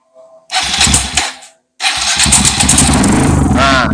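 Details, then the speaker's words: Kawasaki KLX 150 bored up to 175 cc, smoking after trail riding, engine warmed: rough chuffing beat over exhaust with slight smoke at the head; compression leaking past the head gasket. "di bagian sini terlihat kompresi atas kakinya bocor Nah ada asap sedikit ditandakan si posisi headnya"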